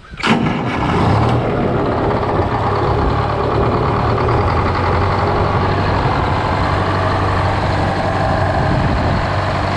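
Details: GM 4-71 supercharged two-stroke diesel, about 160 HP, roughly 50-60 years old, driving a Frick sawmill, fires up at once just after a secondary fuel filter change. It settles into a steady, even idle with no stumbling or hunting; runs fine.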